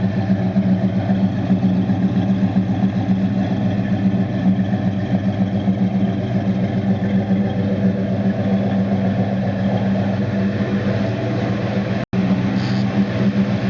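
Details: 1969 Dodge Dart Swinger 340 V8, first start after reinstalling the K-frame, engine and transmission assembly: deep steady burble holding an even fast idle, no knocks, ticks or misses; normal running.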